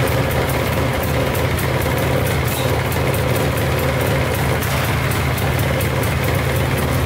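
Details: Polaris 400L 4x4 ATV, 400cc liquid-cooled two-stroke, at a cold idle on choke: a steady, even burble with no knocking, heavy smoke out the back, and a rattle apparently from a broken exhaust mount; idles healthily.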